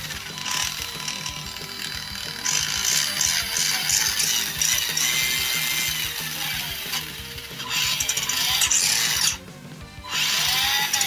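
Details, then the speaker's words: Vintage Tamiya Grasshopper RC car, 21-turn motor with 18-tooth pinion, driving forward: high motor and gear whine with rapid loud clicking under acceleration, fine in reverse; gears clean and greased, cause not found. "but if we go forward you'll be able to hear how loud it is the clicking noise"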